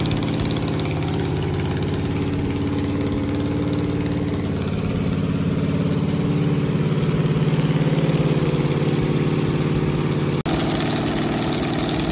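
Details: 1969 Camaro 396 big-block Chevy: steady even idle about three and a half pulses per second, no ticking or misses.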